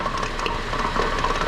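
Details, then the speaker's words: 2003 Honda Element, raised front wheels spun in gear: gritty crackling grind with faint steady whine from left inner CV joint; boot ripped and slinging grease, dry worn joint grinding, complaint of front-end noise. "that noise is actually the inner cv joint right there the boot is ripped and it's grinding"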